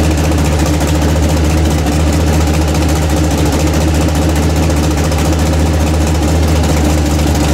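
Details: Freshly built 406 small-block Chevy V8 in an S10: deep even rumble holds steady with no misses, ticks or knocks; healthy running.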